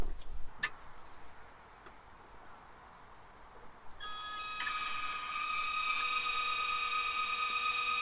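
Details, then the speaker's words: Audi 2.2 Bosch K-Jetronic, five new old-stock Bosch injectors bench-tested by lifting sensor plate to idle, half and full throttle: quiet then steady hissing whistle rising in pitch with flow; spray pattern identical in all five, normal. "absolutely spot on and you can hear from them from the noise of them as well they have a different pitch at uh you know idle half throttle and full throttle and the spray pattern was identical in all five"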